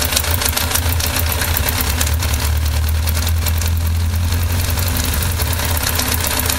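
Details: 1998 Yamaha XJR 1200 engine at idle: a steady low rumble with a rapid, faint ticking layered on top. Abnormal engine noise, source not pinned down.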